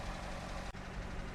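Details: 2023 Maruti Swift Dzire petrol/CNG that had shown P0300, P0304 (cylinder 4 misfire) and P0134 codes: steady, low, even idle with no misfire stumble or knock, while live data shows the O2 sensor switching properly.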